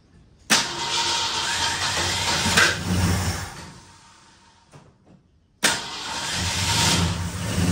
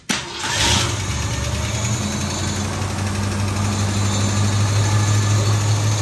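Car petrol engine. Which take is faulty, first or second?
first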